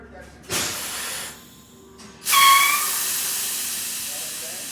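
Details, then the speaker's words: MCI 5C coach with Detroit Diesel 6V71 after a power upgrade, before its first start: a short puff of air, then a loud sharp hiss that slowly tapers off as the spring parking brake releases and bleeds off; normal. "yeah that's the parking brake bleeding off"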